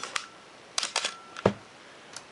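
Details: Canon AE-1 Program 35mm SLR (1981), lens removed, fired at about 1/4 s: two crisp, even clicks about a quarter second apart, mirror up then shutter closing; healthy slow-speed release.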